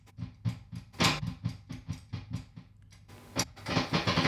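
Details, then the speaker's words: Tone King Falcon amp, live out of standby: a low steady hum and buzz with irregular crackling as the tone pot is unscrewed and loses its chassis ground on and off; the fix is grounding the pot to the chassis. "the amp hums and buzzes. And when this thing is loose, it's crackling because it's getting a ground connection off and on, but hear that buzz?"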